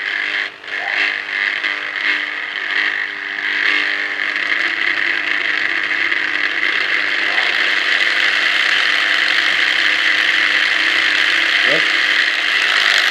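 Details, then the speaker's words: 680 W angle grinder on a variable voltage regulator (4000 W), set to minimum speed: steady low-speed motor whir with faint gear rattle, no surging or grinding; normal running at low speed. "Okay, kita try sekarang. Test. Kita try ni. Okay, ini minimum sekali."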